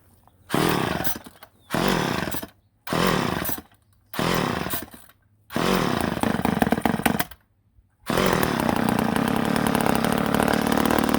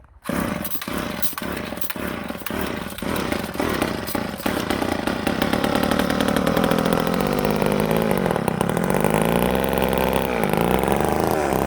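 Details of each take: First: Ohlsson & Rice chainsaw sat 20+ years, primed with a splash of gas into the carburetor: fires in short one-second bursts that fade and stop, then briefly runs; owner suspects a plugged fuel line, fuel starvation. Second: Old Ohlsson & Rice chainsaw, sat 20+ years, after blowing out a plugged fuel tank air vent restored fuel feed (air cleaner possibly choked): catches after a few sputtering pops, then settles into a steady buzzing run as revs rise and hold.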